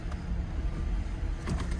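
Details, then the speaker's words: 2005 Cadillac CTS at auction, 139,000 miles, check engine light on: deep uneven idle with loping pulses and odd ticks, engine doesn't want to idle; possibly a fuel issue, cause unconfirmed. "oh listen to that doesn't want to idle"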